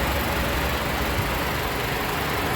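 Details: 2008 Nissan Sentra 2.0-litre four-cylinder, CVT, hood open, warm, freshly changed oil: smooth, even low hum with no knocking or tapping; normal clean idle.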